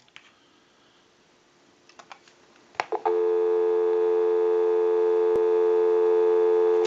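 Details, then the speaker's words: Repaired original-style Mickey Mouse telephone (keypad replaced) final checkout, line out via switch box bypassing analyzer: a few clicks then steady clean continuous dial tone about four seconds, no crackle or dropouts; line working normally. "we can push this button on the switch box that gives us a line out totally takes the analyzer out of the situation and we can call a time and temp number go ahead and give you some dial tone"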